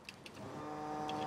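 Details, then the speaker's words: Fuel pump on Ferrari-engined Alfa Romeo 105 project car after rewiring fixed its control fault: faint clicks then steady low electric hum switching on and off as commanded; working normally. "on fuel pump off it's working the way it's supposed to"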